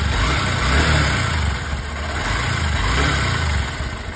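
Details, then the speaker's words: Honda SP 125 BS6 single-cylinder bike after tappet clearance adjustment (loose tappets caused ticking; timing chain first suspected): steady, even idle thump with a light rev and no top-end tapping. Normal idle. "देखिए मैंने bike फिर से start किया और अब engine की sound जो है बहुत ही बदल चुकी है बेहतरीन हो चुकी है पहले से"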